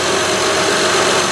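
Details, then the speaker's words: 2006 Honda Odyssey EX-L V6 after valve adjustment, downstream O2 sensor just replaced: steady even idle hum, no ticking, misses or uneven beat; normal smooth idle. "so you can see it's running fairly smooth"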